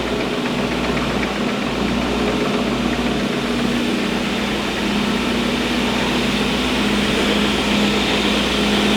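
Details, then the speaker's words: Diehl SL-52 straight line rip saw, 15 hp main motor, 2 hp feed, feed set at 165 ft/min: steady even roar with constant low hum, no knocks or surges; running smoothly. "We're gonna go ahead and start it up. Right now it is set up to run 165 feet per minute."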